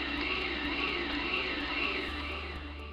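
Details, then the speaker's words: Haas CNC lathe with spindle speed variation (SSV) fully active: a high spindle whine rises and falls smoothly in a continuous wave as the speed keeps cycling, used to prevent chatter; SSV working normally. "remember if you can't hear it working it probably isn't working here's an example of what it sounds like when ssv is fully"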